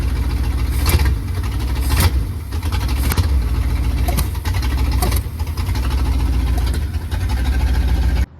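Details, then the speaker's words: Ford Capri (Fox body) started after fitting a new 66-inch belt and swapping in a different battery: lumpy, rough idle with irregular sharp spits sputtering back through the carburetor; owner suspects a timing issue, not confirmed. "Inside the car, she's still running like crap. It's still sputtering out the carburetor. I'm thinking there's a a timing issue possibly."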